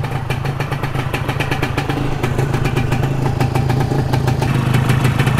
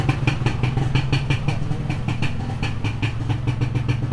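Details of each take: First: Modified Yamaha 125Z two-stroke crackles and revs upward with a burbly, uneven low end; the mixture is too rich, so low-RPM pickup suffers. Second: Modified Yamaha 125Z two-stroke: quick, even popping beat at idle with a deep, steady exhaust and no misses or stumbles; running cleanly.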